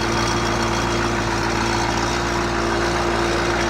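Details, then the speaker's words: CUCV 6.2/6.5 diesel on fast idle while warming up; steady idle with a low hum and an uneven light mechanical rattle, suspected loose right-angle bracket bolt near starter and power steering pump to block, not confirmed; rattle at idle. "you hear that rattle it's a little bit mechanical noise can almost guarantee it's going to be the bolt it's there on the starter motor"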